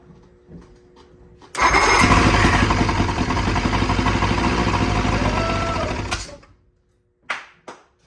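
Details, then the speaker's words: 1976 Evinrude 75 hp outboard on a 1974 Starcraft boat, after carburetor rebuild and parts replacement, first start on starter fluid with no cooling water hooked up: catches first crank and runs a steady, lumpy two-stroke beat about five seconds, a little smoky. Runs. "Let's go, she runs. I was so happy to hear that. Well, we got a working motor. Little smoky, but you know what?"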